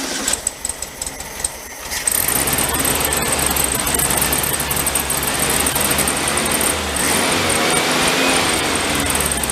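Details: VW Beetle convertible parked since 1995, new battery fitted, running on fuel bottle: catches and settles into steady even run with no misses or knocks; dies when bottle removed, car fuel supply not working yet.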